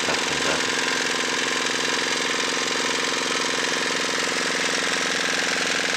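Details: Dongfeng single-cylinder diesel test-run after repair for excessive oil consumption: loud, even clatter with a steady, quick exhaust beat and no misses or stumbles; running normally.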